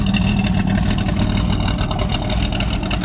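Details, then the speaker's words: Pontiac Firebird with a lumpy, uneven idle and a steady stumble under the exhaust note; the owner found no vacuum leaks and thinks it runs a little rich. A steady misfire that comes mostly after the car sits, lasting about 10 minutes. "yeah, there's no vacuum leaks. That's just how it idles. It sounds like it's got a cam in it or something. It's got a steady misfire too."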